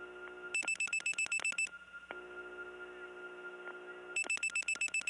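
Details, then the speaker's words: Early-1979 Gainesville, Georgia step tandem, likely reaching Dahlonega 864: native St. Thomas-type busy signal, a second of fast chopped high beeps, a gap with steady tone, then beeps again. "the native st. Thomas type busy signal which by the way st. Thomas itself didn't have because there they replaced it but there's a real one here and it really is a unique tone"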